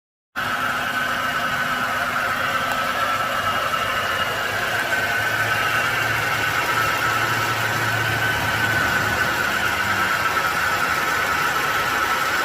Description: Ruido del motor porque falla el compresor del aire acondicionado.